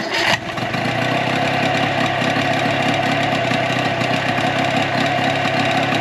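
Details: 2004 Tohatsu 9.8 two-stroke long-shaft electric-start outboard after general maintenance: catches after brief crank, settles into even quick idle. A possible miss was heard at first, but a plug-boot pull test confirmed both cylinders firing; normal idle.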